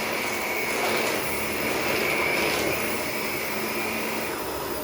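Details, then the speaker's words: Shark Rotator NV520 vacuum, brush roll off then switched on: steady high-pitched motor whine with brush roll hissing, poor pickup; loses suction as the filter is already loaded and clogging. "See how it's losing suction? See, it's not picking up too much."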